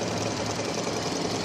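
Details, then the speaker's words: 2000 Toyota Avalon with weeks of sputtering and lost acceleration, new mass airflow sensor fitted: uneven, stumbling, jolting idle with irregular chuffs; rough idle, owner unsure whether fuel or spark, undiagnosed. "seals running like this as you see it joltin it's like it's running either off I don't know fuel or enough spark"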